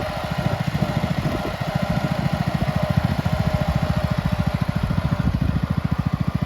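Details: Red 1962 Bolens Ride-a-matic tractor, small petrol engine, after repairs, driving outside at varied revs: quick even firing beat holding steady, no misses; normal running.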